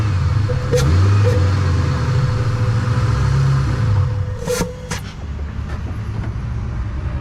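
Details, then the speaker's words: Ford Mustang 3-valve, down on power: intake found clogged, started with air intake removed. Low, uneven idle sagging and wavering near stall, a few sharp clicks; MAP unhappy, smells of gas; rough idle near stalling. "I wonder how the car is going to run with the intake off I'm going to start it like this and see what it sounds like oh he wants the stall he's not happy"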